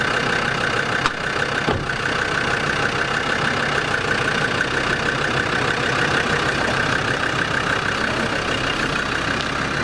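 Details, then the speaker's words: Land Rover Discovery 2 TD5 diesel at steady idle right after an engine oil change, with fresh oil and oil still slightly low; an even, quiet clatter with no knocks or misfires. It sounds quieter and healthy. "Always sounds so much quieter after an oil change, have you noticed?"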